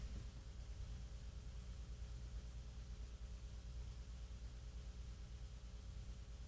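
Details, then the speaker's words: 1940s RCA CR-88 receiver after replacing the mica capacitors and RF-stage resistors, checked component by component. There is only a steady low mains line hum with faint hiss, no crackle, so the component is quiet. "yeah nothing there just open Line hum all right let's try the mixer cathode"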